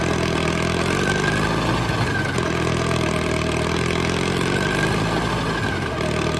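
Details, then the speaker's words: $500 Caterpillar dozer diesel, parked since 1992, running for the first time after a stubborn start in which the starter's Bendix gear kicked out. A steady, even chug at idle with no knocking or stumbling; it runs pretty good. "it sounds like it runs pretty good now first time since 1992."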